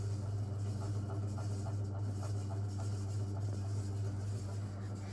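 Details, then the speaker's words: Rare antique Indola PVB 90 cm, 70 W ceiling fan running on a controller. Steady low motor hum with faint regular ticking about three to four a second from unhappy bearings, though quieter than before the partial fix. "they are not happy but at least it's working and it's not as loud as before"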